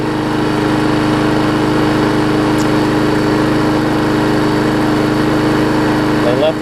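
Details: Murray single-cylinder mower engine, after cleaning the carburetor jet because of old gas. Steady, even run at constant pitch with no misses or knocks: healthy running.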